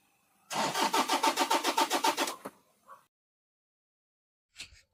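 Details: Toyota diesel engine cranking: starter turns steadily at roughly four compressions a second for two seconds but never fires; crank no start, injector driver module (EDU) suspected, not confirmed.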